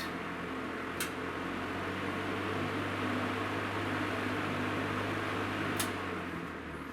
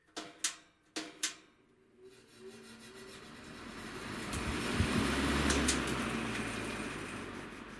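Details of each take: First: Vintage Breezemaker box fan whose cord and plug make a poor connection and need rewiring: smooth even whir over a low motor hum, then a quiet, clean coast-down; motor runs healthy. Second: Vintage Breezemaker box fan started with a push-button switch spins up to a steady whooshing hum with a rhythmic throb; the blade is badly out of balance and the owner fears it may hit the housing at speed.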